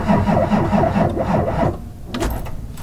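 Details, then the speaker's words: Duramax diesel with two flat batteries, cranked after the glow plug wait light goes out: labored, uneven cranking with slow chugging beats for about two seconds, then it fades; weak batteries barely turn the engine over. "try it again and my daily is dead as well so all three of these cars barely turn over they click when you try to start them"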